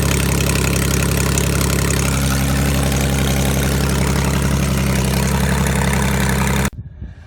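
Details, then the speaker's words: 2005 Ford Mustang 4.0 that wouldn't start, running with the upstream oxygen sensors removed ahead of both cats: loud raspy idle with sharp exhaust pulses escaping the open sensor ports, steady until shut-off; confirms plugged catalytic converters. "that was the issue my cats are plugged up and now the car can breathe when I pulled those oxygen sensors"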